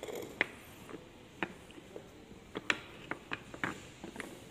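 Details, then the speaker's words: Old Audi A8, about 15 years and 180,000 km: irregular light clicks and dull knocks every second or two from the right front chassis, no engine behind them; two lower control arm ball joints worn loose, fixed by replacing both arms. "是底盘右前方有两个下支臂那个球头磨损了旷了，然后就会产生异响"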